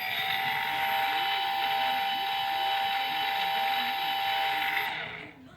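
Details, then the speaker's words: Cheerson CX-20 V2 quadcopter motor tested via flight control software: steady high-pitched even whir, no rattle or roughness, then spinning down; normal, nice and quiet, unlike the broken number one motor. "That's what they sound. It should sound like real nice and quiet."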